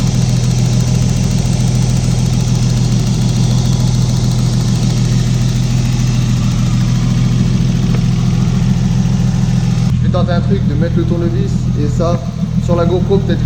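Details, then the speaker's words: Engine idling with a light, even tick about three times a second. The owner hears no noise at the ignition coils; the tick seems to resonate along the injector line. He suspects the fuel pressure regulator but is unsure. "on entend même vraiment bien que c'est cette pièce là apparemment ça serait le régulateur de pression d'essence"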